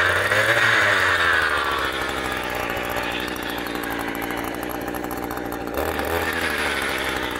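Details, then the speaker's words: Echo GT200R string trimmer two-stroke just restrung, running on new VP Racing fuel after slow start: steady buzz, speed sagging slightly under the line then recovering; smooth, even running, healthy, strings stayed in. "and that was a success that is the first time the strings actually never shot out i am quite happy this thing is a trooper runs great it did take a bit to fire up"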